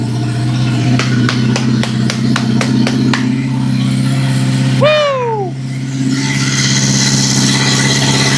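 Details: 1982 Yamaha XJ650 Seca, sitting since 2021, first start in almost 5 years after a new battery, cleaned plugs and carb float level adjustment, throttle unhooked: catches and settles into a fairly steady idle, a few clicks early, no knocking; normal idle.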